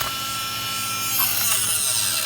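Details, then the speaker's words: Heat gun running while shrinking tubing: high, raspy whine with wavering pitch and a scraping, grinding edge; owner suspects the fan is rubbing. "Oh man, that sounds horrible. Sounds horrible. Something's up with my heat gun. So this is the other side here. Let's do that. I think it's the fan. The fan's rubbing."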